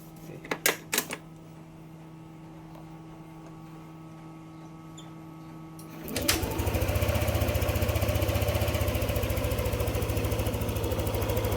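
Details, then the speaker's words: Yamaha NMAX 155 V2 after ECU reprogramming, TPS reset to 0.0 and error codes cleared; earlier abnormal idle and stalling gone. Catches and settles into steady, even single-cylinder idle, about four beats a second, no hunting or dying; ISC on target. "Yung dating abnormal yung menor dagdag pa yung bigla na lang tumitirik. O na siya ngayon."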